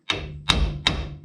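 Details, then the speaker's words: 2007 Ram 1500 rear axle bearing and seal replacement: three hard hammer taps about 0.4 s apart, the later ones ringing solidly as the seal bottoms out and is fully seated. "that's seated see she's in she's as far as she's gonna go"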